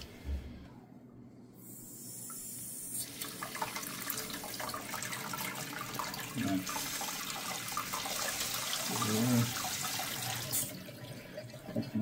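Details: Water line after replacing the faulty valve that caused water hammer chatter, valve opened slowly: steady hiss of water rushing through for several seconds, no banging or hammering; normal smooth flow.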